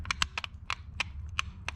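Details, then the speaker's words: Pedal potentiometer with small rack-style gearing: sharp irregular crunching clicks, about four a second, as the pedal moves, the rack sliding and skipping on its gear after losing its home position. "y'all hear that crunching noise yeah so in here we got a pot right there a potentiometer and our pedal here uh it has this little rack kind of style gearing going on and that crunching noise is that sliding on that gear"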